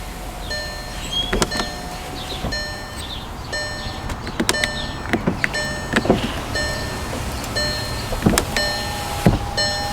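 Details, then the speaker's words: 2012 VW GTI Mk6 after replacing the window switch, car on: repeated short window-motor whirs with clean starts and stops, clicks and chimes, window lock working; windows operate normally. "Ooh, just like that, it's working. Test this window once more. Good. Test the other windows."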